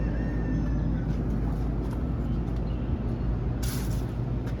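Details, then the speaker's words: Outside AC condenser unit checked during a home inspection: smooth, even low hum from the compressor and fan with no rattles, squeals or grinding; normal operation. "Yeah, that sounds good. That's exactly what an AC should sound like."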